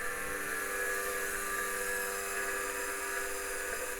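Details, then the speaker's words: Previously stuck hard drive in an IBM 5160 PC XT restoration spinning after power cycling: steady high whir with a rough, rasping edge that never settles; worn, dreadful-sounding spindle bearing, heads still parked, head crash not ruled out. "oh bearing is starting to sound a little better H well maybe not oh goodness that's sounds Dreadful"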